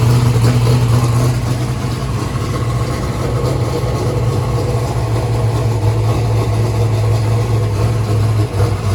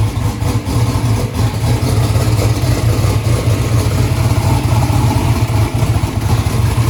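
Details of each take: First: First start-up of a freshly built 427ci small-block Ford rated at 2500hp: a deep, steady V8 idle with an even lumpy beat of about three pulses a second, no misses or knocks. The engine runs normally. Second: Newly built 427ci turbo small-block Ford (2500hp target) at first start, warming up, 82 psi oil pressure: loud, lumpy V8 idle with an uneven stumbling beat; one cylinder dropping out; data showed number three not sparking.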